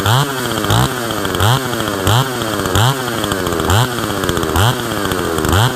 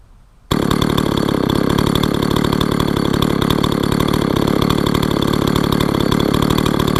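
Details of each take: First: Husqvarna 162 SE chainsaw revived after sitting for years, with a tampered muffler: crisp throttle blips, revs climbing cleanly and falling back to a steady idle; saw runs strong and even. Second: Husqvarna 162 SE chainsaw revived after sitting for years: rapid, busy two-stroke idle at about four pulses a second with a steady rasp, while the chain keeps spinning at idle; chain creep, worn clutch springs suspected but unconfirmed.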